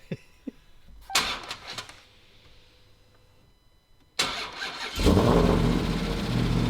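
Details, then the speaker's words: Side-impact-damaged Dodge Challenger Hellcat Redeye with a 6.2 L supercharged engine, expected not to start due to wiring damage; quick crank, firm catch, then smooth deep idle with no tapping or knocking, possibly unusually quiet. "Even when they're hit like this on the side, 9 times out of 10, they're not going to start. There should, theoretically at least, be so much wiring damage in here that something would prevent it from starting."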